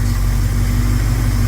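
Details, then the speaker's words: 1971 Plymouth Scamp idling after a couple of vacuum leaks were found and plugged, timing unchanged. Low, even idle rumble with a steady beat and no skips or misses; runs very smoothly. "I just installed 40 cubic in it's running very smooth um it was uh a couple of vacuum leaks I found get those plugged up"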